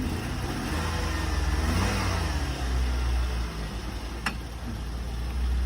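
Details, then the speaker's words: 2001 Nissan Sentra that started right up without a jump, run in reverse then forward, gives a very quiet, smooth note rising gently with light revs, no knocks or rattles; sounds pretty good. "And back forward. Very quiet. Sounds pretty good, folks."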